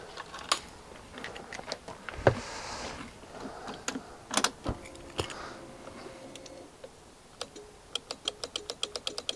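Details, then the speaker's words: 2021 Honda Forza 125 scooter, 35,000 miles: sharp dry rapid clicks from down near the battery with the key on, but it never cranks; no crank, no start, cause being investigated. "So this is a 125 Forza 2021 and it's making a clicking noise."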